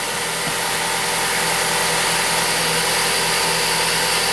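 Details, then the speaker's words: 2013 Ford Focus after repairing no-acceleration fault (codes P2127/P060D): normal idle, even steady hum with no misfire stumble or ticking; no more misfire, engine sounds good. "no more misfire it sounds good yeah all right say you want to step on the gas"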